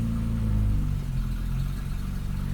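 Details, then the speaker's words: BMW E28 cold start after sitting: deep, low idle that sags after the first second and wavers unevenly, held down by a sticking cold start valve; a little throttle frees it up and idle recovers. "so yeah the revs are a bit lower as the cold start valve is sticking and then if i give it a bit of a tickle there we go it frees it up and then we're all fine"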